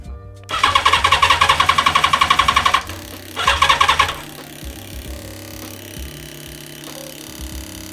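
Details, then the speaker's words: Yamaha FZR 1000 (2LA) being cranked with engine starter spray and the air filter removed: fast even starter cranking in two bursts, about four turns a second, never catching; crank no start, owner suspects no spark. "Yeah, nothing. Fuck. Seems like we don't have spark either."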